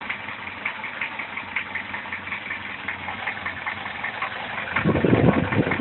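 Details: Idling engine after tensioning the timing chain and adjusting the valves: a sharp, fairly regular tapping knock about three per second appeared; chain is stretched though a tensioner extender is fitted; cause unclear.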